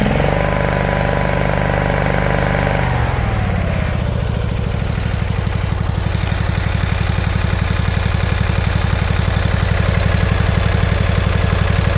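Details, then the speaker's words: Briggs & Stratton Intek V-twin, replacing a blown-up Kohler Courage, idling steadily with no air filter fitted; the even, hollow thunk-bunk chuffing is just air coming through the open intake, which is normal. "And that noise you're hearing is the the thunk bunk thunk. It's just air coming through the intake."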